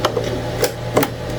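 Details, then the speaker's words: Anycubic ACE Pro filament unit, second slot with red filament, retracting: steady low motor hum with a few light clicks; gears mesh smoothly, normal, unlike the grinding first slot. "Yeah, look at that. It meshes so nicely together."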